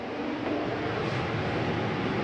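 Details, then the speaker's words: 2022 Catalina Legacy 303QBCK RV furnace switched off: steady, even airy whoosh with no rattles, scrapes or pulsing; heat fan normally runs a few minutes before shutting off. "i'll shut that off you'll notice it'll take a few minutes for the heat fan to run through before it actually shuts off"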